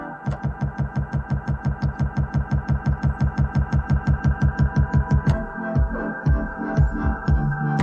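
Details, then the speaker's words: Mid-range DJ CD player (CDJ/XDJ) in pause mode: a short snippet of the track repeats about twice a second in an even loop, then normal playback resumes; normal pause-mode stutter, not a fault. "설명을 드리자면이 소리는 CD 플레이어에서 CD가 일시 정지 터지가 될 때 나는 소리입니"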